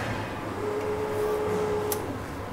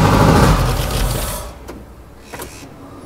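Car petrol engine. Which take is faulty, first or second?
second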